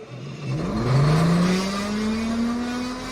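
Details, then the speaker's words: Airport air start unit for Airbus engine start, at idle: smooth turbine whir climbing in pitch then settling to a steady hum without roughness; normal idle. "Itu suara ketika idle."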